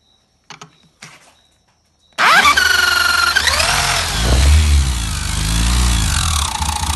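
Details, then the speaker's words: Yamaha XTZ 125 / YBR Factor 125 single with very loud engine noise; head and cam bearing checked without finding the fault; run with a tool driving the crankshaft, it gives a loud, harsh internal clatter; balancer bearings suspected, not confirmed. "125 fazendo barulho muito alto quando funciona aí a gente desmontou tudo o cabeçote rolamento ali para ver o rolamento comando e não achava o defeito"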